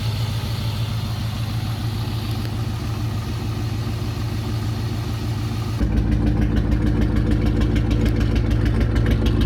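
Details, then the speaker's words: 1999 Ford Mustang GT, 4.6 2V V8, misfiring on cylinder 3 and with a slight shimmy; rough, uneven idle stumbling about three times a second. Fixed with a new coil pack and spark plug. "so this was just a quick video so you can hear what a misfire sounds like"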